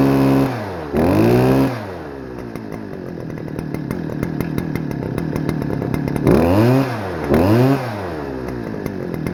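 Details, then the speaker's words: Stihl FS-250R two-stroke trimmer before the carb rebuild, after sitting long with old gas that hardened the diaphragm, on a cold rainy day: blips up and drops back, then a ragged idle; running rich, smoking a lot and not revving up high. "And you could tell that it was running rich because it was smoking a lot and it wasn't revving up very high."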